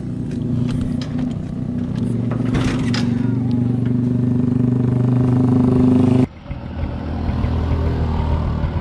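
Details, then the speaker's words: Bajaj CT 125 motorcycle after converting to a Honda Supremo CDI (4 wires): engine catches and settles into a steady, even beat with no misfire before cutting off, running normally. "So yun nga mga boss, umaandar na yung ating Badja 125 ano."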